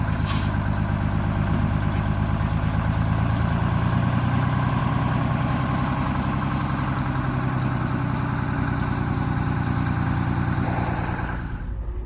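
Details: Bus diesel engine after rebuild and fuel-problem fix, climbing a hill under load: strong, even beat holding steady with no knocks, misses or whine, plenty of power, easing off at the end; healthy.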